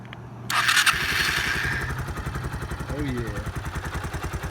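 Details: 2005 Kawasaki Eliminator 125 after replacing a leaking petcock, tank filled, petcock on prime: engine catches after a brief crank and settles into an even steady beat; normal start, no leaks.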